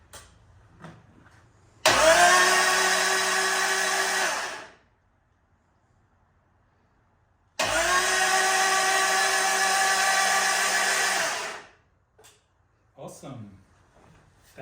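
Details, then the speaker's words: Caterham Seven with Lotus twin-cam engine, first crank on the starter motor via a temporary starter wire, spark plugs out, oil system primed, electrics disconnected: two long even bursts of fast steady cranking, constant whir, no knocks or grinding; normal starter cranking. "sounds quite good"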